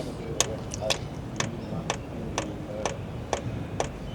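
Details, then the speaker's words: Diesel heater dosing pump in pump-priming mode in an Iveco Daily campervan; sharp, light ticks about twice a second, evenly spaced. Pump clicks normally, but the fuel line was later found split. "So first thing I'm going to do is put the diesel heater into pump mode to feed diesel. I just want to see whether it's actually pumping diesel and just needs to get it through, or whether it's actually given up."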